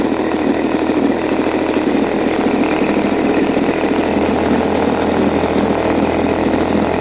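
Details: New Turnigy TP31-T 31cc twin gas engine (CD ignition, Walbro carb), first run in a cold room with the choke off: a loud, steady buzzing idle with even firing and no misses or surging, running clean at low speed; low-speed needle said to be perfect.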